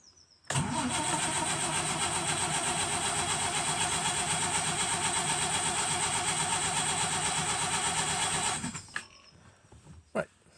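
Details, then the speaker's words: 1936 Rover 12 tourer after a winter layup, cranking to circulate oil to the valves: about eight seconds of even, rhythmic cranking with no valve ticking; the old engine turns over healthily. "At least we now know there's a bit of oil has at least gone around the system into the valves and all the rest of it."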